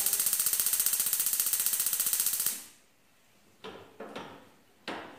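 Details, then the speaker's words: Six-year-old gas stove, burner slow to catch: sharp, even igniter ticking at about four per second for over two seconds with no light-off; the fouled igniter electrode sparks weakly. "Tá funcionando mas demora de pegar o fogo"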